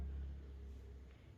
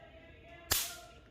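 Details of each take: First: Cooler fan 2.5 MFD capacitor, charged on direct mains power then shorted: a single faint, sharp snap over room hum. The spark is very weak, indicating a weak capacitor (the cooler uses 4 MFD). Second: Cooler motor run capacitor test (cooler fitted with a 4 MFD capacitor; 2.5 MFD also tested): after charging from mains power, its leads are shorted. One sharp loud crack and a strong spark show the capacitor holds charge and is good.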